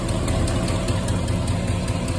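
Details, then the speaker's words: 1972 Chevelle V8 at steady idle with quick, even light ticking about five per second; owner suspects a loose lifter, others suggest an exhaust leak; cause unconfirmed. "loose lifter but if you can hear it it's a ticking noise they saying exhaust Le in the comments but I'm thinking loose lifter but I could be wrong"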